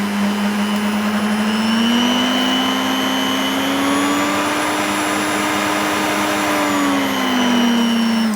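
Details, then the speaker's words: Charity-shop mixer of unknown age on speed control: even motor hum with a thin high whistle rising slightly with speed, like a turbo gone wrong, though it otherwise sounds all right. "Okay. It has a bit of a a turbo gone wrong whistle to it."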